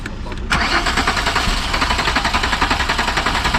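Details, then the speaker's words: Car cranked with fuel pump running: starter churns steadily at even rate, sounding down on cranking power, but never fires; no start from a faulty crankshaft position sensor. "It sounds way down on like just cranking power."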